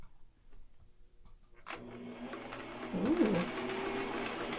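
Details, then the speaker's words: Thrift-store Singer sewing machine, unserviced, run on its pedal with no needle or bobbin up to full speed: a soft, even, quiet whir with a light steady patter of about four beats a second. Smooth and healthy. "kind of quiet. Very quiet. It's nice."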